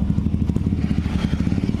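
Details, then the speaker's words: Yamaha Mio Soul automatic scooter idling with a loud, rapid, harsh clatter from the CVT housing and not moving at all; the CVT was suspected, and the V-belt turned out to have snapped. "bisa teman-teman dengarkan suaranya ini begitu berisik parah ya Suaranya berisik para dan motor tidak jalan di sini kita curiga di bagian area bak sipiti"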